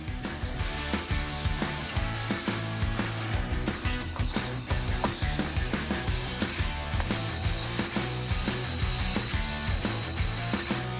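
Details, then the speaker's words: Rusty Datsun with a leaking head gasket patched with a Vegemite food gasket: the starter spins the engine in a fast, even chatter with no firing and no compression pulses; zero compression from the failed head gasket. "that sounds like zero compression to me I haven't forgotten anything stupid have I I I think so I think it's just got absolutely no compression"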